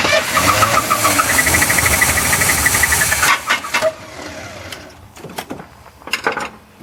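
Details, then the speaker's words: 1981 GM square-body truck that sat in a field 25 years, new spark plug wires, weak battery: rough uneven sputter for about three seconds then dies; fires only on primed fuel, questionable fuel in tank, starving for fuel. "I don't know what the fuel's like we're trying to pull, but hey, it's trying."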